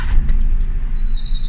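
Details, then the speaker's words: Hyundai Eon with a new drive belt and tension reportedly okay: low engine rumble, then a thin steady high squeal like a squeezed mouse cuts in and holds; drive belt suspected, not confirmed. "Tapos, tumutunog yung kanyang belt, pero bago naman. Tapos, okay naman daw yung deflect, yung adjustment."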